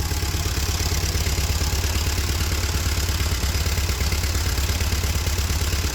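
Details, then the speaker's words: Free old Ford tractor left out in the rain for years, first run after sitting: low, thumping, uneven idle; owner suspects carb needs tuning, water dripping from exhaust, no oil pressure on two gauges; rough running. "sounds like you could use some carb tuning clearly there's a fair amount of water in the exhaust you can see it dripping out here exhaust looks clean though not too bad runs okay"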